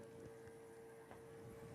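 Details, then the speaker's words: Bezzera Sole heat-exchanger espresso machine with PID during shot: very faint steady hum and water trickle, its rotary pump running quietly and normally. "Next, it is a rotary pump. Did you hear how, you probably can't hear at home how quiet it is. We can hear how quiet it is over here though."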